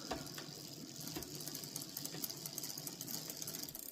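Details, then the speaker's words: Bicycle rear derailleur, pedalling with the shift cable over-tightened by the barrel adjuster: fast light metallic ticking as the jockey wheel sits slightly outside the chain line; backing the adjuster off fixes it. "now you can see it's on the outside of the chain. Although from that video it's kind of hard to tell, but just a little bit over, and it's creating that sound."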